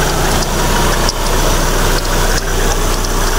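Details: Proton Persona with the Campro engine, idling; belt tensioner and fan bearing were noted as starting to wear: steady, even, smooth idle with no knocks, charging at 14 V.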